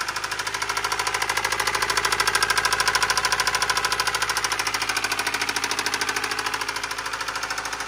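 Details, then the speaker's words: Subaru boxer engine rod knock, bearings worn metal to metal: loud, steady metallic knocking about three times a second while running, clearly not piston slap. "the bearings are just metal to metal to metal to metal until it wears and makes a metal to metal sound like this"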